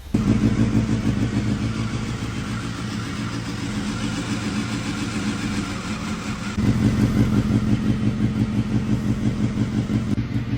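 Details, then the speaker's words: Honda Hornet motorcycle idling right after a 7–8 hour engine overhaul and tune-up (crankshaft, bearings, rings, valve leak fixed, not bored): steady, even low idle with a small lift, no knocks or noises. "අවුනයි හඬ සද්ද නැහැ, බද්ද නැහැ, idle ලෝයි."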